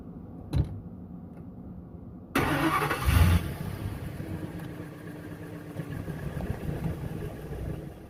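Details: Ford F250/F350 Super Duty V10 after replacing the fuel filter with a new Motorcraft one: cranks briefly, catches quickly and settles into a steady, even idle with no stumble or misfire; normal idle.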